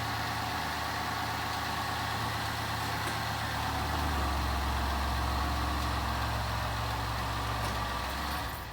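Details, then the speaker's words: 2011 Ford Escape after welding a cracked forward muffler pipe and rebuilding rotted muffler hangers to fix an exhaust leak: steady low even idle hum, no puffing or ticking, much quieter; normal idle. "i'd say it's done much quieter oh my god what a difference"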